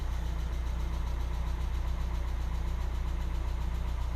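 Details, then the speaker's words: 1990 Mazda Miata NA at cold start idle; loud, quick even tapping about three to four beats a second over smooth idle, sounds like an old diesel, smooths out over time; owner suspects valvetrain, possibly an oil issue. "all right so first off it sounds like we're starting up an old diesel uh the valves are tapping really loudly i really don't like that i don't think that's normal for this car"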